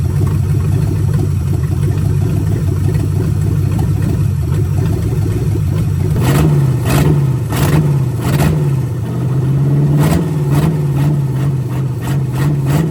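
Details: Budget-build 283 small-block Chevy with Turbo 350 in 1985 Oldsmobile Cutlass, vacuum-secondary carb: loud deep open-exhaust rumble, steady idle then smooth throttle blips that rise and settle cleanly; normal idle, runs healthy.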